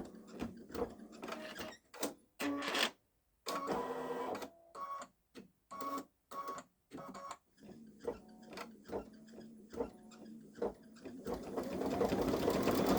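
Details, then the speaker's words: Baby Lock Solaris embroidering a Christmas train design on a sweatshirt with medium-weight cutaway stabilizer: quick rhythmic stitching, about four per second, with a faint high squeak each stroke; source unclear, owner wonders about a different embroidery foot. "I still hearing the squeak tell me if you hear the I don't think it's a figment of my imagination"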